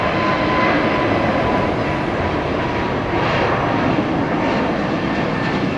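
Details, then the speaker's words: Airliner taking off at Tampa International after a noisy start-up: steady, even jet roar at takeoff power with no surging, popping or rough notes; normal, fairly quiet takeoff. "yeah after all that noise watch how quiet this takeoffs gonna be"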